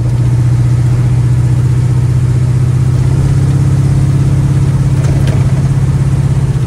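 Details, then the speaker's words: 1936 coupe with TH350 transmission, test drive after replacing the leaking speedo gear and bullet: steady, smooth engine and road drone with no whine or tick; earlier noise gone, believed caused by the faulty speedo drive. "so what i think i'll do is just go for another we drive to make sure that noise is definitely gone i'm pretty sure it was just just the dodgy speedo"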